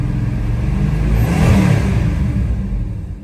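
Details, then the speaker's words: 1968 Dodge Charger 383 big-block V8 after closing the overly wide points gap: swells through the revs and eases back with an even rumble, no cylinders dropping at higher rpm, though it seems to labour more at idle; improved running. "Almost seems like it's laboring more at idle now, but it's not dropping out cylinders at higher RPM anymore."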